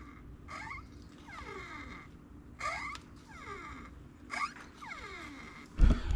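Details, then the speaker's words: Strut removed from an older Honda Prelude: three slow compressions each give a drawn-out squeak falling in pitch; owner suspects a bad shock inside the strut. "you can hear it squeaking when it compresses. So I almost wonder if it ain't a bad shock."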